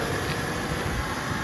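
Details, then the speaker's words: BMW E36 started after sitting a long time: low, uneven, lumpy idle that wanders rather than settling; owner suspects the idle valve or that it just needs to warm up, not confirmed. "Okay guys, I don't know if you can hear me, but you can hear the car's running a bit strangely. It's probably something with the idler valve or something."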